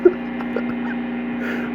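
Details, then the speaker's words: Chinese-made Hofner violin hollow body electric guitar through an amp, not played, one small LED lamp switched on nearby: steady low electrical hum; pickups catching LED lamp interference. "let me turn on let me turn on this led lamp this is one little bitty led lamp not like a stage full of led lights"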